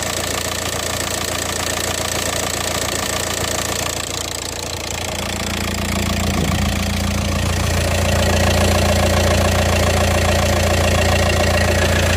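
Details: VW Passat 2.0 TDI PD (BHW) diesel after the DIY oil pump conversion, engine covers off: steady, even idle clatter with a smooth rhythm and no odd knock or rattle; the earlier sound is gone and it sounds healthy.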